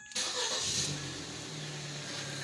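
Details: Ford Focus with no-start/hard-start; supplied spark plug number 2 exploded, old plugs refitted: short crank, engine catches at once and settles into steady idle, slight misfire remaining; needs new plug wires and spark plugs.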